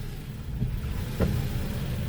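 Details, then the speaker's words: Daewoo Matiz after engine and clutch repair: an even engine rumble and one soft thud as first gear engages. The clutch starts biting as soon as the pedal is released, with no extra noises; the fan hums. "скажу те що тільки пускаєш зразу начинає брати щеплення але лишніх якихось звуків нема"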